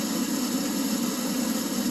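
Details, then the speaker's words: Oil furnace in an unheated garage, 31°F outside: steady motor and fan hum, no burner roar building, nothing seen through the flap; burner not firing, owner suspects plugged nozzle. "but if i shut the door that's the only way it will fire it starts but you don't hear the burner going"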